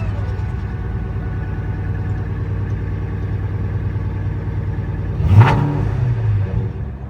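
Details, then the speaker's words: Mach 1 Mustang after a fuel pump and filter replacement, first start after priming: steady, even idle rumble with no misses or knocks, then one clean rev blip settling smoothly; new pump working. "Might have to prime for a minute. Go a few. Yep. So it sounds like the pump's working."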